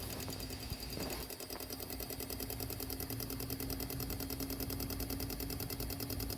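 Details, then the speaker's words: Fuel injector on a bench rig at about 45 psi, duty-cycle test part 2 at 25% duty cycle: rapid, fairly even clicking at a steady rate over a faint hum. Normal injector pulsing. "Empty the container. I did, and started at the second half. This is 25% duty cycle."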